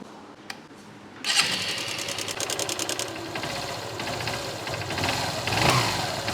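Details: Motorbike after an engine-noise lubricant treatment fires up and settles into an even idle with only a light tick and no heavy rattle. The engine idles normally and sounds quiet.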